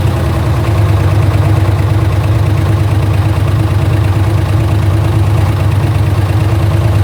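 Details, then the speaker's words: Camaro Z28 LS1 V8 after ported 243 heads, cam and nitrous swap: rough, lumpy idle with steady light tick about three a second, worsening over time; piston damaged during or after swap, valve-to-piston contact ticking. "Eventually, throughout time, it had gotten worse, but we didn't know what it was at the time. You could just hear there's like a ticking noise going on."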